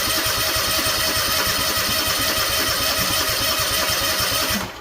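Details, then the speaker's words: Freshly rebuilt Kawasaki FR730V V-twin installed in a Cub Cadet SX60, cranked with fuel shut off to build oil pressure: steady fast starter churn with even compression pulses, no knocks or grinding; normal cranking. "Sounds good turning over, doesn't it? So we do have our fuel shut off, our solenoid hooked up."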